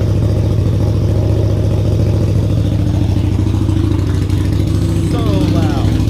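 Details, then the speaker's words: Harley V-Rod Night Rod, freshly rebuilt engine bored 1130cc to 1250cc with FM Hellraiser cams, Power Vision tune, first start after reinstallation: loud, deep, lumpy idle with steady throb, open exhaust, no knocks or rattles, louder than old Rinehart exhaust; normal idle. "i thought it was going to be like a little bit louder than the uh the reinhardt that i pulled off no way dude this thing is like straight up drag back status it is so loud"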